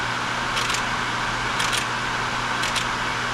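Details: Pro-Cut on-the-car brake lathe mounted to a car's hub machining a brake rotor: steady low motor hum with a soft swish about once a second as the rotor turns while the lathe auto-compensates, running normally.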